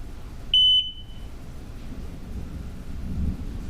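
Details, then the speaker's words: 1999 Johnson 200 HP outboard (J200PLEEB, SystemCheck) after replacing the fuel flow vacuum switch that caused false check-engine alarms; key-on only, engine not started. Single short high beep then quiet: normal horn self-test, no fault alarm. "so that's a good sign if there was something wrong the check engine light would have once it they all turned off it would have popped back on"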